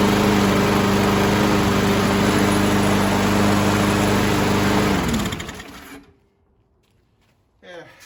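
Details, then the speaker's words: Craftsman 917.37651 mower, B&S 6.75 Quantum engine with new HIPA carburetor, cold day, after tightening the back-plate bolts so it primes: runs smooth and even at steady speed, then shuts off cleanly; healthy. "After rectifying that, it seems to work fine now and it primes."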